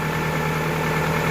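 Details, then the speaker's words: 2000 Toyota Camry idling after alternator replacement and wiring harness repair, with headlights and heater on high: smooth even idle, no knocks, ticks or belt squeal, about 14.7 V charging; running fine. "And everything seems to be running just fine, so we are good to go."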